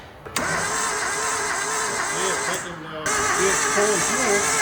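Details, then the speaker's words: Suzuki Samurai engine as it arrived, unknown history, oil added, battery at 13.1 V, cranked with a starter button: uneven, labouring starter cranking that sounds wrong, caused by water in the cylinders. Rockers move, heavy smoke and blowby follow. "I just want to see if rockers moving sound weird yeah it does sound weird they're moving"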